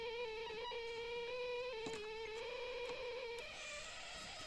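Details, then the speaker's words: Line 6 Flextone 3 XL guitar amp with cable in input: steady slightly wavering tone near 500 Hz with bright overtones, then drops away; self-oscillation appears in preamp signal before software processing, absent via returns; exact cause unconfirmed. "you know I think it's about oscillation is it's I think it's well it's it's occurring to the preamp signal"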